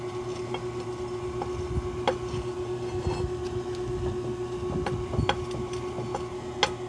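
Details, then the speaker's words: Lower ball joint checked by levering the wheel upward with a lug wrench or bar: scattered dull clunks as it moves over a steady background hum; worn lower ball joint knocking in its socket. "aparte que se oye un ruido"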